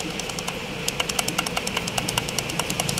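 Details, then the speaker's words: Toyota Innova Reborn, noise from the transmission when the clutch is not pressed, stops when pressed: light quick metallic ticking, about five per second, over steady idle; loose, worn factory clutch disc hub, disc to be replaced. "kayak itu suaranya ya suaranya tek tek ini masih bawaan pabriknya Toyota nanti ini kita ganti kampasnya aja"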